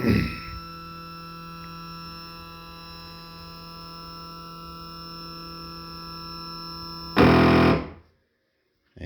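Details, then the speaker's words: Shapeoko Pro CNC homing: steady whining hum as the gantry travels, then a brief harsh buzzing chatter at the limit as the Y stepper motors stall and back off; cause was YL/YR motor plugs swapped on the Y1/Y2 board sockets. "does it again but usually it goes all the way to the right it does that noise but does it real quick and backs off"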